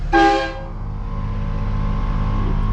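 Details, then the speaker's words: Train horns with compressor and air tank just installed on a 2019 Ram 2500 Limited, heard from inside the cab with windows up then down: loud brassy multi-note blast over steady engine rumble; normal air horn operation. "here's the button this is what it sounds like with the windows up this is what it sounds with the windows down"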